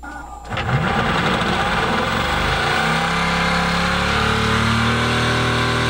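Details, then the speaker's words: Sailboat electric propulsion motor after remounting with two rubber grommets, where loose bolts without full compression had caused vibration: a quiet click, then a steady hum with no rattle or buzz; no vibration now, though motor temperature is a concern. "I changed out the mounting and I actually added two rubber grommets and now she doesn't vibrate at all"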